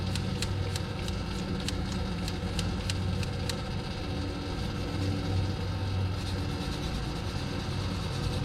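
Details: 1971 Dodge Coronet station wagon engine starting after 31 years in a field: a low, uneven rumble with a few sharp ticks early on as it stumbles through its first idle. Rough running; new spark plugs likely still needed.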